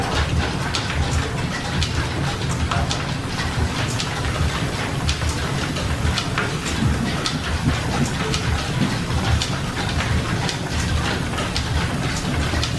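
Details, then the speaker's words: Old steam engine driving a 1925-style line-shaft machine shop, governor controlling speed; steady rhythmic chuffing and slide-valve clatter at even pace, no knocks or surging, running normally. "it just takes just the slightest little bit of turn to the throttle you will hear the slide valve kind of snap up against the ports and it takes right off"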